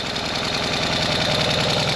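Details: Ural sidecar boxer twin after an engine-noise repair (timing checked, valve clearances reset, clutch rod fixed, new gaskets): an even, lumpy twin-beat idle with no knocks or misses. Normal idle.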